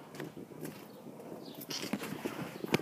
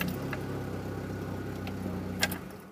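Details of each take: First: Chevy C1 pickup, throttle-body fuel injection, with the crankshaft position sensor connector deliberately unplugged: steady starter cranking at about three beats a second that never catches, since the computer gets no rotation signal and sends no coil or injector signals; crank, no start. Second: Chevy C1 TBI that would not start, after the timing belt: the engine catches and holds a low, even idle without stumbling; it starts fine.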